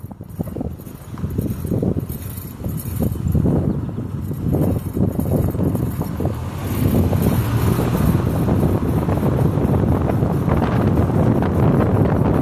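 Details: 2009 Ford Fusion, 109k miles, driving: rough rhythmic grinding rising with speed whether straight, turning, braking or not, seemingly from driver-side front wheel; worsening over six months, cause unknown, titled as brake scraping.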